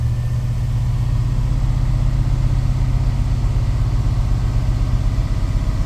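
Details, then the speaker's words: Chevy square-body crew-cab dually with 454 V8, just after O2 sensor replacement, still running a bit rich, not yet warmed up: constant fast idle with a steady low drone that doesn't settle, the high cold idle it always had; cause unconfirmed. "It always did that idling up thing when it was cold."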